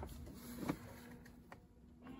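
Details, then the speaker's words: BMW E91 with ignition on, engine off, front washer activated: steady low electric pump hum with no grinding or stutter; front washer pump working, unlike silent failed rear pump; normal washer pump operation. "Lave-glace avant, il fonctionne. On entend la pompe."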